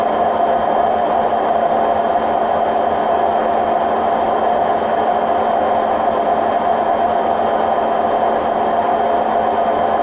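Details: Hotpoint WMF760 washing machine on a spin programme in May 2018: a loud, steady roar with a droning hum from bad drum bearings.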